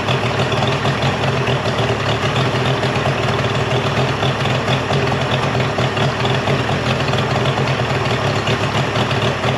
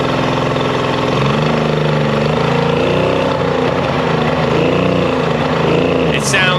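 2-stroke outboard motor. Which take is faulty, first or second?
second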